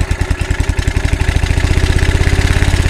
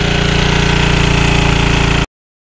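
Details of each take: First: Early-1980s Generac S1500 portable generator, cold start on a cold windy day: sputtering pulses pick up to about 300 a minute as it catches on starting fluid; initial startup very hard, barely runs a drill press. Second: Early-1980s Generac S1500 portable generator on a cold, windy day, kept going with sprays of starting fluid after a hard cold start; quick, even putter at steady speed with no hunting or misses before cutting off, running normally.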